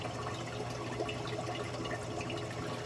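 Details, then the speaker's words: Clear Water Scrubbers CW-50 algae scrubber on a Red Sea Reefer 250, 185 gph pump: water level rises to the emergency bulkhead then drops rapidly, giving a steady trickle with irregular gurgles and slurps as the drain sucks air. "it's touching the bottom of the emergency bulkhead and that drops rapidly and then you can hear it suck"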